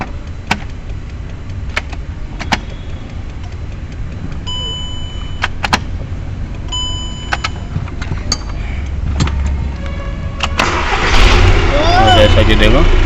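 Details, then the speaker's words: VW Passat that would not start after being parked, during a start test after immobiliser transponder sensor/receiver checks, clutch pressed: a few sharp clicks, then the engine catches at about eleven seconds and runs steadily. Normal start after repair. "Start हो गई है बाकी अब सब fitting करने के बाद दिखाते हैं आपको"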